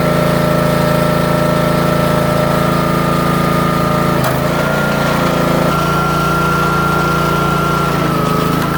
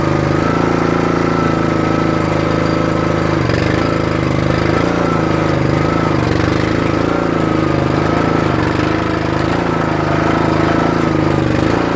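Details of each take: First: Troy-Bilt/MTD 27-ton log splitter, about 120 hours, after its control valve (believed Energy 326890) was repaired and fluid refilled while purging air: the small engine holds a steady hum, pitch sags briefly under hydraulic load then recovers, with no knocking. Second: Troy-Bilt/MTD 27-ton log splitter, about 120 hours, before valve repair: the small single-cylinder engine runs steady with an occasional labouring dip, struggling on the return stroke unless the valve handle is held up; the control valve (believed Energy 326890) is suspected and worsening.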